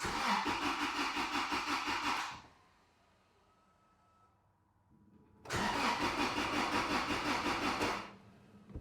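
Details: 2006 Toyota Tacoma 2.7, crank no start, lean (P0171), during fuel pressure test with gauge on line: two bursts of even cranking near three beats a second, each catching briefly then dying; lean stall.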